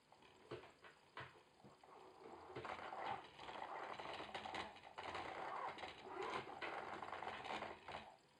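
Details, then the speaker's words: Logitech Driving Force GT wheel, second unit (first returned for the same noise), game sound off, at maximum force feedback strength: faint, irregular fluttering buzz in uneven bursts as the motor pushes; something inside sounds loose, unconfirmed. "Also normal hört sich das nicht an, ey. Das hört sich da an, als ob da drin alles locker ist. Und da drin wie verrückt rumflattert."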